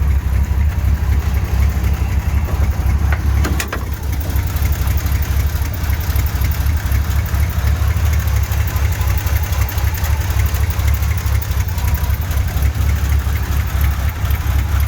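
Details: 1983 GMC C3500 one-ton 2WD with 350 V8, started after sitting a while: deep, lumpy idle with an uneven beat and stumbles; running rough, cause not yet found.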